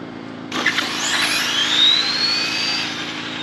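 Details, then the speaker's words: RC drag car mid motor after adding 5 more degrees of timing: high electric whine climbs then flattens before the end of the track, topping out early at about 71 mph; owner suspects ESC RPM/ramp settings need work. "It took it, but it sounds like it's topping out before the end of the track."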